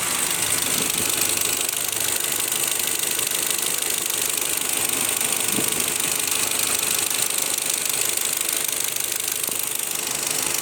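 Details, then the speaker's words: Audi Q5 engine warmed to operating temperature: steady idle with light sharp tapping, three or four knocks a second, seeming to come from the fuel rail or manifold area; cause unknown. "Вот прогрели до рабочей температуры, стук появился. Стук идет где-то со стороны, вот прямо как будто с рампы, либо вот с коллектора, где-то вот в этой области."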